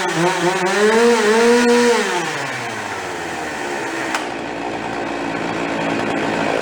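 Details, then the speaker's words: Husqvarna 353 chainsaw after restoring a barely running unit: two-stroke revs cleanly to high RPM, holds, drops back to steady even idle without stumbling; chain brake works, healthy saw. "Sounds good, the brake works, stops immediately. It's got a nice idle to it, doesn't try to die."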